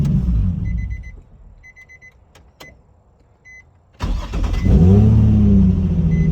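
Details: Nissan 350Z, raised in the air, test start after repairing a no-crank, no-start fault (cheap AutoZone starter previously fitted). Door chime and faint clicks, then a quick crank and clean catch into a steady idle; starting properly now.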